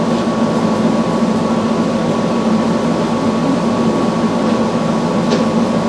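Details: Samsung front-load washer after replacing all four shock absorbers with OEM shocks, running a calibration spin with an empty drum. A steady motor hum at a fixed mid pitch with no knocking or banging; the drum spins smoothly, normal.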